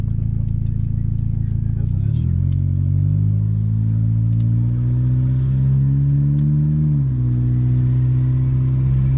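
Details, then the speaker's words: Turbocharged automatic Honda Civic with a freshly bolted-on turbo kit, untuned, at 5 lb boost on a test drive under light throttle: the engine climbs smoothly with a faint rising turbo whistle spooling up; it runs healthy. "you hear that turbo wind down that's running oh yeah it's running really good now"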